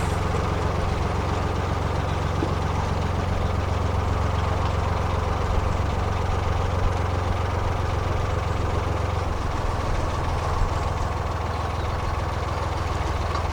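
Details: Narrowboat diesel after the fouled propeller was cleared through the weed hatch: steady low thrum with an even beat and no labouring; the boat runs smoothly under way and feels much better.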